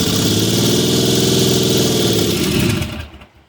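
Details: Mitsubishi 3000GT VR4 after rebuild (forged bottom end, billet twin turbos, MAF swap, big oil cooler, big FMIC): even, smooth running with a steady beat, no ticking or missing, before shutting off; engine sounds healthy.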